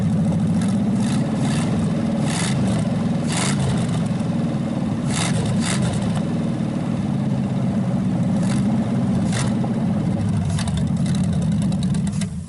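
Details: Packard 374 cu in V8, warmed up after oil burned off the hot exhaust manifold: deep, even rumble with quick clean rev blips, then a fast shutdown, suggesting little cylinder wear and good compression.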